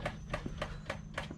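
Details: 2009 Honda Metropolitan scooter fuel pump making loud, sharp clicks, about three and a half a second, even while the engine runs; the failing pump was replaced with OEM pump and filter.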